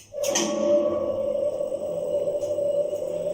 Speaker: The motor is 7.5 kilovolt amperes, and its speed is 1 meter per second. It produces a humming and rustling sound at low speed and during inspection speed.